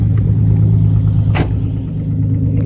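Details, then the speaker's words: Nissan 350Z at idle, shaking with a rattle felt from inside; deep rumbling idle lumping and stumbling unevenly, missing on a cylinder, cause not confirmed. Misfire at idle. "you guys can hear it so yeah so it's definitely misfiring"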